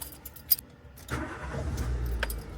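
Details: Car with a DV6 engine, started with a newly matched key. Keys rattle, then a short crank and the engine catches cleanly and settles into an even idle. Normal engine start.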